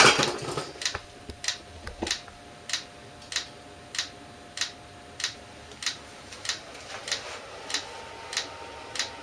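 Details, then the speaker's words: eBay 8 kW Chinese diesel heater at startup, fuel pump engaging about 30 seconds after start, exhaust not yet hot, before ignition. Sharp even ticks about every 0.6 s over quiet background. Normal fuel dosing pump priming. "okay it was just maybe 30 seconds and it started to engage a fuel so pump here"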